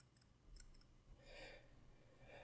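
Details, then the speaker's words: Seiko automatic watch movement shaken by hand: faint quick clicks and light rattling from the winding rotor moving on its bearing; normal rotor play, not a fault. "but again it might annoy you but you would just have to accept it because this is normal"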